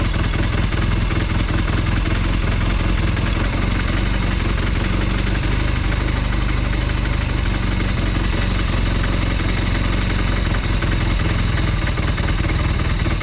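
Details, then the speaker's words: Velocette LE, idle screw backed off to about 700 rpm after clutch and points adjustment: a slow, soft, even chuffing with a slightly lazy beat, a bit too low and right at the lowest acceptable idle. "Yeah, but I won't go much lower than that. It's a bit too low. It's about 700 RPM."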